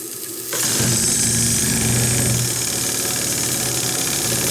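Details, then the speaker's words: Stuart D10 live-steam engine feed pump at 2 bar after its steel ball was replaced with a Viton ball and a card-paper seal fitted. Steady steam hiss with light, fairly even ticking three or four times a second; the pump runs normally, with a small water leak seen. "Voilà, et on entend un peu la pompe fonctionner."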